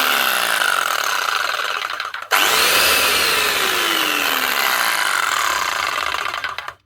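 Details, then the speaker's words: Arbortech Allsaw mortar saw after resetting the drive belt, which had dropped and rubbed the aluminium housing causing heat and a burning smell, and tightening the tensioner pulley: steady high motor whine, clean spin-down and restart, no rubbing; normal running. "Might be just a belt rubbing on the aluminium, generating heat and making the burning smell. Don't know whether or not to keep stripping this down or not. I'll see what it sounds like now."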